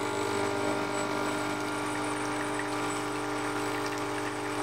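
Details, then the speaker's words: Zuriga E2-S espresso machine flushing water into cups to warm the machine and cups: a steady, even buzzing hum from the vibration pump with no surging or rattle; normal pump flush. "das heißt ich schnappe meine Tassen und Spüle mal Wasser uns zwei schöne V Tassen und lassen wir Wasser rein"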